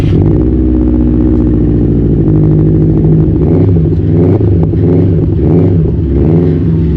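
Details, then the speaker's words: 2015 Subaru WRX STI at speed on the Autobahn, tuned with intercooler, downpipe, oil cooler, radiator and relocated IAT sensor: a fine, fast, regular click following engine speed under the drone, piston slap from loose forged pistons. "So it seems as if the car got quite decent forged pistons. So you hear the piston clap quite well."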